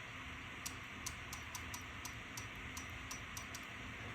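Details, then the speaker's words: Toyota Supra purge solenoid bench-tested on a lab power supply: about a dozen crisp clicks over three seconds against a quiet hum, the solenoid actuating normally. "So you can hear that the purge solenoid is actuating, it's doing its thing."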